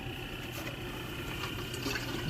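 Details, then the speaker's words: Armstrong Brain mixing valve actuator after rebuild with new gaskets and O-rings, powered on before reopening the water valves: soft steady whir with a thin high tone over low hum, modulating without sticking; normal actuator motor running. "the motor running and it's modulating, so we're good there."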